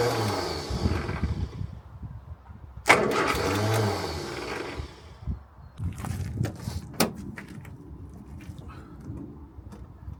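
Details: Morris Minor 1000 after a long break, spark plugs just done, battery boosted: repeated cranking bursts catch briefly, stumble and die, then finally fire into an uneven idle, hard starting; cause not confirmed.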